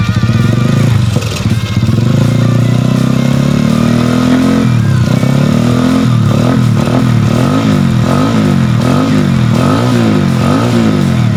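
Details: Yamaha Jupiter Z1 motorcycle engine after repairing a loose cam chain (rantai keteng) and a piston-crushed part; revved up and down, pitch rising and falling cleanly with even firing, no knock or rattle; runs normally.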